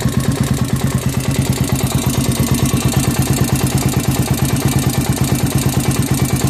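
Fast even idle with a hard, regular knock on every firing pulse over a deep thud, pointing to a bottom-end knock.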